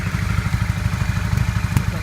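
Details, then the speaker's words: 1982 Honda CB450 twin after restoration and carburetor balancing, idling better: steady thump with an occasional sharp pop on the right side; suspected air leak, possibly the exhaust gasket or a cracked part, not yet checked. "It's a little bit of a popping sound. That's usually an indication that I've got an air leak somewhere. It could be in the exhaust, so I'll have to check that."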